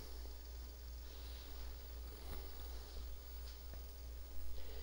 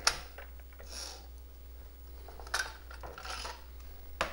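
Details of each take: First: Coleco Adam Data Drive after repair of a melted encoder wheel: an even motor hum with faint ticks as it seeks block zero, slows, then reads the tape normally and boots CP/M. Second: Coleco Adam data drive D after melted encoder wheel repair, trying to load a tape: irregular ratcheting and clattering bursts over a low hum; mechanism binding, further faults beyond the encoder wheel.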